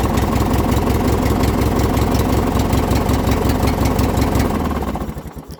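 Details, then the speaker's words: Poulan Pro with Craftsman-branded Briggs & Stratton opposed twin after cold start; even, steady thumping idle then winding down to a stop, no misses; cold-blooded until warm, carburetor needs cleaning but runs well; normal idle. "it's a little bit cold-blooded but once it warms up it actually runs pretty good it does need the carburetor cleaned have i done it yet no will i do it no because it actually runs pretty well"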